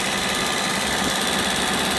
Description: It turns out that a ticking high pressure fuel pump is a good thing.